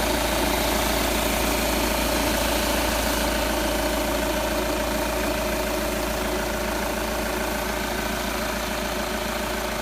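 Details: Audi A4 8K 2.0 TDI diesel at idle: a steady hard, even clatter about three and a half beats a second. Owner asks if it is too loud; no fault pinned down.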